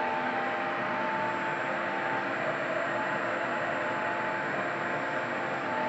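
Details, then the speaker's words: Worn fan motor in a roughly 10–11-year-old IQAir air purifier used about 12 hours a day: steady air rush with a thin, constant whine just under 1 kHz; squeaky sounds on and off, gradually worsening over recent weeks. "now if you listen you can hear the uh the whining sounds it's making"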